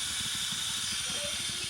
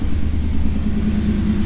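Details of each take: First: 1991 Pontiac Firebird Trans Am that overheated: a steady high hiss over a faint low idle as pressurised coolant escapes from the hose connecting to the 15-year-old water pump, which gets replaced. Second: 1991 Pontiac Firebird Trans Am V8 after a new water pump and battery: a low, even idle rumble, steady with no stumbles. It is holding charge and not overheating before a test drive. Normal idle.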